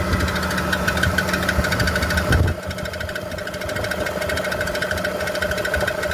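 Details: BMW E46 330i automatic idling steadily with a rapid knock about three per second that continues after a brief change in engine note; the owner asks what the knocking is, and its source is untraced.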